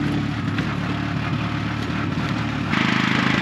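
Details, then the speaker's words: Car "Tori" now on flat road at high altitude in the Bolivian Andes: uneven running skipping every fourth or fifth beat, steadier than under load; misfire blamed on thin air. "And now that this is Tori on flats, so just kind of skipping every 4th or 5th beat, but it'll sound a lot better than just before."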